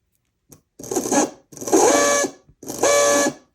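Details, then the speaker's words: Athearn Band-Drive F7 model locomotive motor, truck not properly seated during wiring tests: three roughly one-second bursts of harsh buzzing grind with a whining tone on top; runs rough, cause unclear. "that's a horrible noise"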